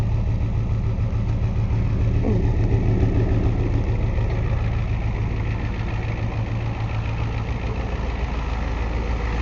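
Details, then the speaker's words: 1990 Ford F250 Lariat, 7.3 L International diesel, 5-speed manual, over 200,000 miles; hard to start cold after sitting overnight or days. Warm restart after running a minute or two: catches straight away, steady even idle clatter, no misfire. "so we only let it run a minute or two he killed it and it starts right up so it's just the initial startup"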